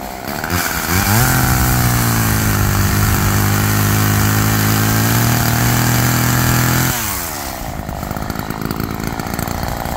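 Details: Roadside-found Homelite chainsaw after carburetor rework, cold-started after sitting, cutting wood in wind: winds up to a strong, steady high-pitched scream through the cut for several seconds, drops back cleanly. Chain oiling well; owner suspects slightly rich running, bogging in larger logs.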